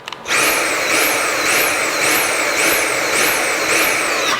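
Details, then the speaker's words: Dyson V7 handheld vacuum with no suction: high motor whine surging up and down about every two-thirds of a second; clogged filter restricting airflow, needs cleaning. "your dyson vacuum cleaner is doing this type of sound then it is time for you to actually clean this Dyson up"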